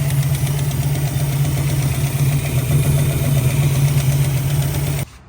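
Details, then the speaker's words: 1965 Mustang 289 V8 at idle: a light, quick ticking rides on the steady idle. Valve train tick, with a rocker arm feeling loose; valves need adjusting starting from cylinder one at TDC. "And listening to it, I really do think it is a valve train."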